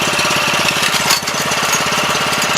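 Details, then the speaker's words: 7 HP Kohler air-cooled engine on a small hydraulic power unit, first run after two years idle and carb cleaning: fast, even idle pulse with loose rattly edge; unit shakes and walks off, looks like it needs new feet. "may have to let it run an idle a little while to let all that stuff kind of get flowing again looks like it needs new feet"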